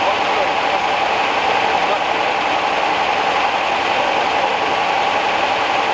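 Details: 1969 Rover P6 Series 1 3500 V8 automatic, revived after 16 years in a garage: smooth, even idle and revving with a steady hum, no tappet tick or cam rattle. Quiet, a healthy engine.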